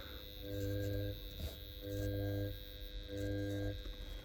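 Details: AEM water-methanol injection pump on a Mitsubishi Evo X, bench-tested during installation: three short bursts of even electric motor hum, each about half a second, starting and stopping cleanly; the pump motor works.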